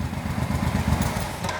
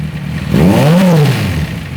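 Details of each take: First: Suzuki Boulevard 1500 V-twin after battery replacement (previously wouldn't run): deep steady low thumping idle, even beat, no knocks or rattles; runs smoothly. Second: Kawasaki Z1000 with engine noise, after timing corrected (was out of time, running much improved): blips twice, settles to idle with persistent mechanical clatter; damaged internal parts found, exact cause not confirmed.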